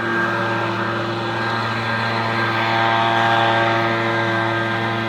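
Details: Echo PB-250LN two-stroke leaf blower at full throttle after opening the hidden high-speed carburetor screw under a brass plug below the primer bulb: steady high-pitched scream with no surging or bogging; runs faster and stronger than before.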